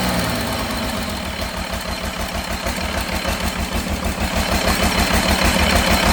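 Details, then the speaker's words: Cummins diesel in the C40 project truck "Merle" after rebuild, at idle with an uneven, lumpy, loping beat of about three per second that stumbles; still rough after a new No. 6 injector, cause not found. "Well, unfortunately, I have worked all day tirelessly and made absolutely no progress other than I've got the smoke to quit, but it just don't run right for some reason."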